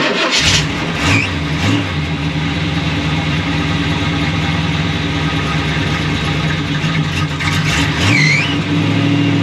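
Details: 1937 Buick street rod with a 400 cu in small-block Chevy that runs hot and starts hard when hot, with an undercharged battery. Jump-started with a Viking 1000 pack: brief cranking, then it catches right away and settles into a steady, slightly lumpy idle.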